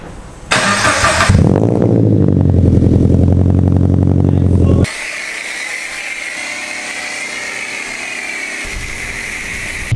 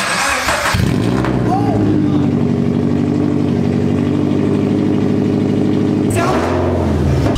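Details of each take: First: Subaru BRZ on air suspension, exhaust crushed by bagging and now repaired and refitted: engine cranks briefly, catches cleanly and settles into a steady, even idle with no leaks, puffing or rattles; normal start. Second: Subaru BRZ on air suspension with the crushed exhaust system removed entirely, running with no exhaust fitted: very loud, raw, rapid puffing drone at steady idle with a harsh bark on starting.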